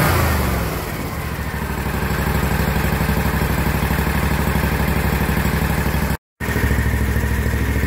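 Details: Kawasaki FX691V twin on a 2021 Scag Patriot, 80.6 hours, after valve lash adjustment (cylinder 1 intake was loose at 0.010 in, set to 0.004–0.006 in cold): even steady thump about four beats a second, tick gone; normal running.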